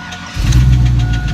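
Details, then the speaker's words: Turbo street truck with BTR Stage 2 truck cam, about 5000 miles on the cam: heavy low idle with a deep knock under it. Ticking began that morning, worsened over a 50-mile tow home with oil pressure fading fast; owner 99% certain it's a failed rod bearing. "on the way back it started to develop a noise that had me a little bit concerned"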